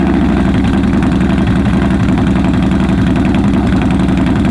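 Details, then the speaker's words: 2015 Yamaha Bolt R-Spec V-twin at idle with exhaust baffles removed, prone to stalling: very loud, deep, lumpy idle with heavy uneven loping pulses that clipped the recording, before fitting Vance & Hines baffles. "That capped out the audio in idle. So, yeah. We're gonna make it less quiet so when Beau pulls up, it doesn't sound grotesque."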